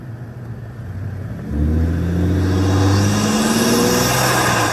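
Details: 2020 Ford F-150 EcoBoost with aftermarket intake, phone microphone zipped under the hood while driving, comparing with vs without turbo silencers; smooth pull with tone climbing as revs build and clean intake air rush, healthy turbo intake sound.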